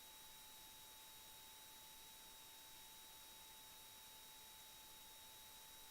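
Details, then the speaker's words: Swap-meet PC, first power-on: steady high whine of hard-drive platters spinning with faint hiss but no seek clicks, so the heads are not moving; drive suspected faulty. "I hear the platter spinning I do not hear the heads moving"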